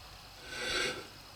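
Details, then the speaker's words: Mercedes W123, 4-year-old Bendix brake rotor with about 60–80k miles: dry raspy scrape swelling and fading as the wheel is turned slowly by hand; the rotor hat flange broke off, causing loss of braking on that wheel. "As you can hear, it's making noise. The rotor just broke. Flange just come off."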